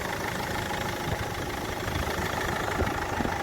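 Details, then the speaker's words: Land Rover Freelander TD4 2.0L BMW diesel, 174,000 on the clock, stone cold, after crankshaft pulley replacement for knocking; even idle with steady low clatter, no knock or rattle from the pulley, massive difference in engine tone, normal idle. "there's a massive difference in the tone of that engine now so that's how to change a crankshaft pulley on a freelander"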